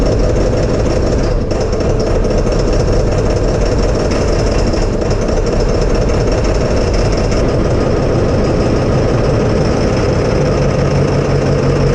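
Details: 1999 Ford F350 7.3 Power Stroke diesel after replacing the ICP sensor and cleaning its plug: steady low diesel rumble with even clatter, no misses or stumbles over twelve seconds; now starts and runs smoothly.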